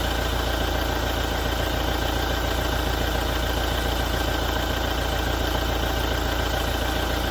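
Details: 2017 Toyota diesel after a major service: at steady idle, a sharp rattling knock repeats about 3.5 times per second over the diesel clatter; cause unclear.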